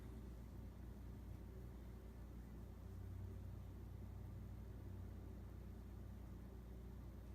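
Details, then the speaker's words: Casablanca Four Seasons 48" K55 ceiling fan, possibly 1981, Slumber Quiet control at medium speed: only a faint even low hum, no ticks, rubbing or wobble; normal, essentially silent running. "And the best thing about these Slumber Quiet fans, they are dead silent. Absolutely dead silent. This fan does not make any noise whatsoever."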